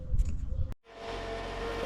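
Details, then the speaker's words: 2010 Toyota Camry idling before alternator replacement; steady mid-pitched whine over the engine, with a burnt plastic, metal and rubber smell, so the alternator is being replaced — failing alternator. "doesn't sound doesn't that sound great let me show you what what's going on you hear that it also smells like burnt plastic and metal and rubber and cats and dogs so we're going to go ahead and replace it"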